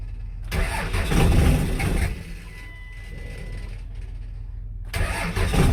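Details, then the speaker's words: 5.9L 24-valve Cummins diesel, crank sensor ground wire (the no-start cause) now fixed: cranks then catches into loud rough clatter, rolling coal, settling to a steady idle. Normal cold start. "There she goes, boys. Rolling coal. Okay, so ground wire on the crank sensor the whole time. It's fixed up now, it's running."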